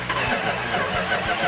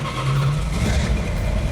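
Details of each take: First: Freshly rebuilt 1970 Cuda 340 V8 on its first start, with firing order checked and timing close: it catches with a few rough firing pulses, then falters and dies within a second or two, starting and dying repeatedly. Fuel starvation. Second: 1970 Plymouth Cuda 340 whose freshly rebuilt engine had sand dumped down the carburetor, 65 psi oil pressure at idle: deep, even V8 burble with light blips and no misfire, stumble or ticking. Normal idle; runs smooth.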